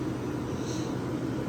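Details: Vintage Westinghouse 10,000 BTU window A/C, mic held at an angle: low, steady hum with no knocking or rattle; runs pretty quiet once running, which is normal.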